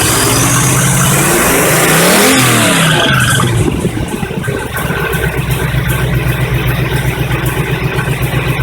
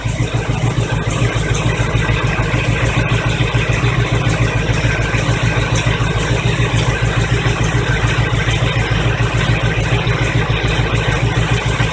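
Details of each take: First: 1985 Chevy truck carbureted V8 after a fuel pump replacement: a short crank with no throttle, catches straight away with a rising rev, then settles to a steady, even idle; starter may need a shim. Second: 1985 Chevy truck idling after fuel pump replacement: steady idle with a fast rhythmic clatter of about three beats a second as the alternator shakes around on a broken bracket.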